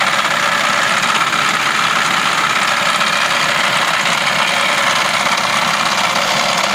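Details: Idling with the air conditioning switched on: a loud, dense metallic clatter over a steady idle with little low rumble, a clattering noise that comes in with the aircon.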